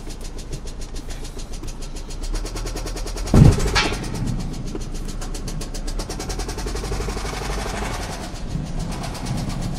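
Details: 2009 Pontiac Vibe 2.4 running before engine replacement, steady rapid deep knocking keeping pace with engine speed plus one loud clunk; bottom-end rod knock.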